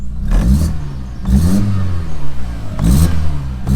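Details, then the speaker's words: Audi S3 with the turbo not working, revved after reconnecting the MAP sensor: revs rise and fall in uneven bursts with a lumpy, stumbling exhaust note, misfiring and running rough. Not the MAP sensor. "it should work though oh misfiring"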